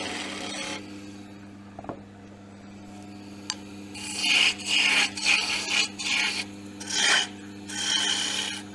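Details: Woodturning lathe cutting laurel: soft, even hiss in repeated passes over a steady low motor hum, no chatter or labouring, no stress on machine; clean cut.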